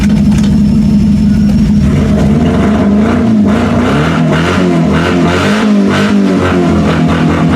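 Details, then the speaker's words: Mazda 3 derby car first start after refitting the gas tank and battery: loud, lumpy idle that stumbles and wavers, running on only three cylinders. "runs now this is only running on three cylinders people"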